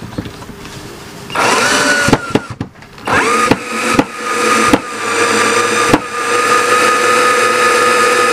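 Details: McCulloch Classic 12V cordless drill after a battery repair (2000mAh cells, universal 12V BMS added), high-speed test (rated 285–850 rpm): a steady high whine that starts and stops cleanly, then holds an even pitch. Runs normally.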